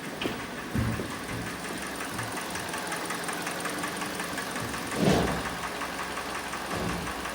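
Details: Restyled Kia Sportage SL, G4NA petrol engine, 100,000 km, idling after a winter cold start, recorded from outside: steady hollow knock in time with the engine, piston slap from scuffed cylinders; overhaul needed.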